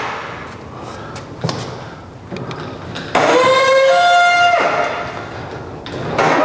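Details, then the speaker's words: Roll-up garage door, after white lithium grease on one rusty spring: a high squeak rises and wavers for over a second as the door moves; the noise is getting better, but the owner fears the spring may be too far gone. "so as you can see it's definitely getting better i'm hoping that spring is just not too far gone because it is awfully rusty"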